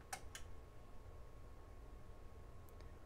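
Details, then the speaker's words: Carver HR-742 1990s receiver (had no display, no audio; VFD filament pin connection fault): at power-up protection light flashes three times, then a sharp click over faint hum as output relay engages; normal exit from protection, right channel still faulty. "so protection enable is still flashing but it only flashes three times goes to a ready and then back to our input and I heard the relay engage so we are out of protection mode that's fantastic"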